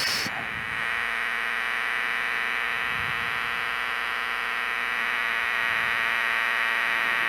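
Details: LM386 micro power amplifier on a bench supply at 5 V: constant buzzy hum with thin hiss; fixed by adding a 10 µF capacitor on the supply line.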